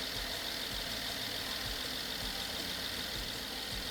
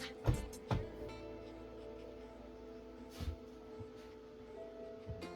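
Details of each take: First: BMW F10 550i N63 V8 after hydrolock rebuild and cylinder wall repair, first startup after fixing unplugged ignition supply connector; steady even idle, smooth hum, no knock, misfire or smoke; healthy. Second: BMW F10 550i N63 V8 after hydrolock rebuild with cylinder wall repair, first start on a replacement battery: cranks steadily about five seconds but never fires; ignition circuit supply code, a big red wire connector was found unplugged.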